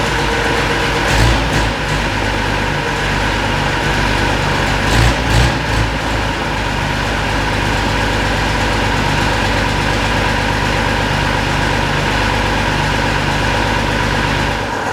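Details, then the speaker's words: Unimog 416 diesel after repriming with the hand pump, pedal-held high idle as the hand throttle is broken: steady even clatter at raised idle with no misses or stumbles; runs properly on its own. "Man, that was really nice seeing and hearing this thing running on its own like that."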